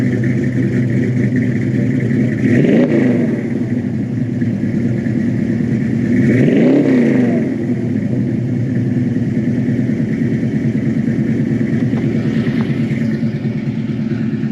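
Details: 1972 Chevy Malibu Chevelle SS tribute, 350 V8 with mild cam, new Holley carburetor replacing oversized one, fresh tune-up, electric choke: steady idle with two quick rev blips rising and settling smoothly, no misses, knocks or hesitation; normal.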